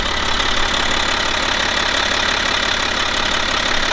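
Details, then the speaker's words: 2011 BMW X5 35d M57N2 diesel at 130k miles after timing chain replacement, warm idle while the gearbox oil level is set: a steady, even clatter with no knocks, misses or hunting; the engine runs healthy. "But for now everything seems fine and the engine sounds healthy, as I like to say."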